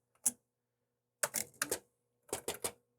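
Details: DECwriter II print head after repair, where a melted plastic spool jammed a solenoid pin until it was cleared by hand: crisp bursts of rapid buzzing ticks, line after line, firing cleanly in a typing test.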